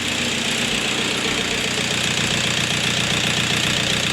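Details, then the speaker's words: 2000 VW Passat 1.9 TDI, off the road almost five years, first start after replacing a faulty injector that caused engine shaking; steady diesel idle with even clatter, slight vibration (owner suspects engine mounts), otherwise smooth and healthy. "oh that is good that is good so I'm not sure where to go from now but I'm just so relieved that the car actually works now the engine is good"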